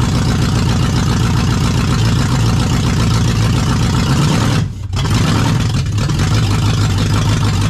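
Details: Jeep KJ swapped with Lexus UZFE V8 engine, SKIM immobilizer deleted via push-start button kit; engine catches and settles into a steady, deep, even idle with a brief blip; normal start and idle.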